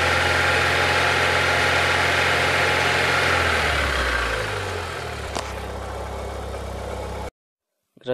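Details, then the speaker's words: Chevrolet Chevy/Corsa/Tornado engine after replacing leaking spark plug wires: steady even idle, smooth low hum, no misfire stumble or shake, noticeably calmer; normal idle. "ya que instalé los cables de encendido nuevos la diferencia es notable el motor está más tranquilo más"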